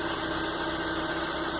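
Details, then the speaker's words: Car in a workshop, warm engine, idle control relearn just completed via scanner: even, steady idle hum with no stumble or missed beats, running smoothly. "e finalizada aí com sucesso Então tá ajustado aí controle de marcha lenta"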